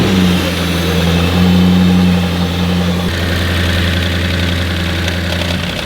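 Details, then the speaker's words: Audi RS6 (1150hp build) after head gasket repair, idling cold, slightly high: loose, even metallic chatter of three or four taps a second from the top end; owners suspect dry tappets or hydraulic lifters, cause unconfirmed. "Well, yeah, it's the top end rattle, but what the top end rattle is, I don't know. Tappets? Are they hydraulic lifters?"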